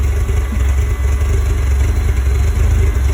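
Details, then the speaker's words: 1999 Porsche Boxster, cold first start after days of repair work, white then nasty smoke: low, lumpy idle that wavers unevenly, no pops or bangs, earlier backfire seems gone; cracked oil dipstick tube found afterwards. Rough idle. "fire in the hole a little white smoke there still sounds a little rough got some pretty nasty smoke coming out"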